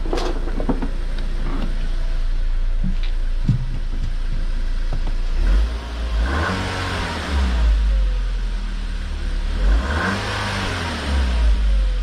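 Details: VW MK5 Golf 1.4 TSI twin-charged after water pump and supercharger clutch replacement, revved in neutral: small petrol engine rises and falls smoothly, quiet with no rattles or knocks; healthy, though owner says a squeak appears around 3,500–4,000 rpm, same squeak as before.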